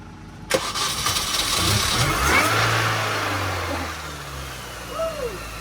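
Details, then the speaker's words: Supercharged Mini that cranked but wouldn't start; the cause was a crank sensor not fully seated. After reseating, it cranks, catches sharply and settles into a steady, even idle with no misses or knocks. Smoke came from spilled oil on the exhaust. "We've had a silly problem. Simply because the crank sensor wasn't quite all the way in."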